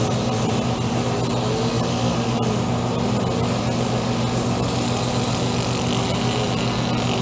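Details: Echo SRM-2400 string trimmer, believed mid-1990s, slightly bigger engine than the SRM-230. Started on choke after about six primer presses, choke then pushed in. Steady, even buzzy two-stroke hum with no surging, coughing or misses; running healthy, though it vibrates a lot.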